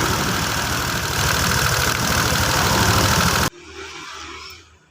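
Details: Honda Vario 125 FI scooter, test start after a piston replacement and oil pump check: steady, even idle with a smooth regular beat and no knocks or rattles before it cuts off; the engine sounds healthy.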